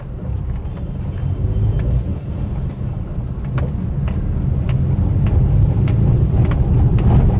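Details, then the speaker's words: Maruti WagonR K Series driven over a rough paver-block road; loose irregular clacks about three per second from the front over low road rumble, a seat rattle also present. "ये आवाज़ आ रही है आपको? जैसे कुछ लूज है। ये रोड पे आपको ये आवाज़ प्रॉपर आएगी।"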